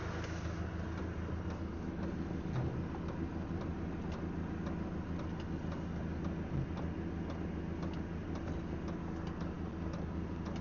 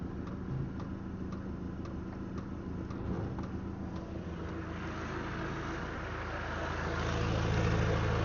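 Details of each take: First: Diesel heater newly fitted to a Land Rover Defender 90, running and blowing warm air: steady light ticking of a couple of clicks a second over the low fan rumble; the owner hopes the fuel pump clicking stops once fuel has circulated. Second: Land Rover Defender 90 with newly fitted diesel heater, engine running: light, even ticking about twice a second from the heater fuel pump pulsing while priming; owner finds the clicking annoying.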